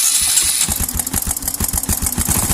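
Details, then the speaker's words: Honda Supra 125 FI, long parked, just started after electrical repair restored spark: single-cylinder thumps unevenly with ragged stumbling beat, running rough; mechanic suspects oil not yet circulated from sitting, not confirmed. "motornya sudah menyala, tapi suaranya sangat kasar. Mungkin oli tersebut belum bersirkulasi."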